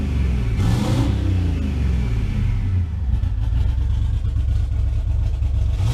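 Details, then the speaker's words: V8 after repair, fault found to be a pushrod: deep, even rumble rising and falling smoothly with throttle, no misfire or ticking; engine revs freely and sounds healthy, normal revving. "so it looks like we've got the bird back guys she sounds good and it looks like all that was was a freaking push rod"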